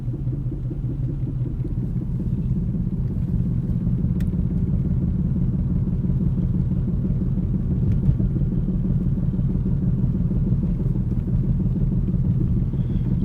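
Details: Ford Focus 2010 while driving makes a deep droning rumble with a loose rhythmic throb, about three beats a second, coming from the right rear tire. The noise began two days earlier; cause not pinned down.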